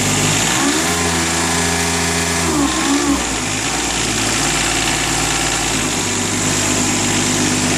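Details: 1999 John Deere 455 diesel with 135 hours. Engine catches, rises briefly, then settles into a steady, even diesel clatter with no knocks or misses; healthy idle.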